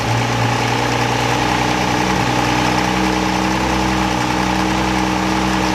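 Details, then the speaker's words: 1963 Rambler Classic 660 after sitting long: steady even idle, constant low hum, no knocks or misses; it runs but dies when throttle released, suspected problem in carburetor idle circuit. "but it runs so that's telling me there's probably maybe something in the idle surface of that carburetor"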